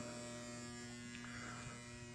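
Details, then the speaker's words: Old lock relay on a 1971 Williams Klondike pinball machine, long stored in a cold animal-filled garage, powered via left flipper button: constant low mains-pitched buzz, no rhythm; very noisy, not shorted, just old and worn relay. "we have power and it's a very very noisy old lock relay doesn't seem to be shorted or anything it just seems to be old and worn"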